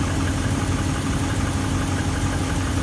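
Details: 2015 Ram 1500 5.7 HEMI V8 idling steadily with a light, quick tapping over its low rumble; piston slap suspected, not confirmed.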